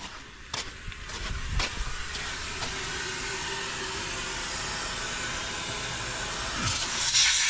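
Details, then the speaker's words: Paving-crew truck, loading up: loud, continuous high hiss steady under a few clanks, air escaping from a blown air suspension airbag needing replacement. "Oh. Airbag. I got a basically a blown airbag."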